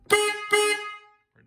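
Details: Honda Talon with XTC turn signal kit installed: two short, loud honks with a clean, bright, steady tone and no rasp or wavering; horn working properly.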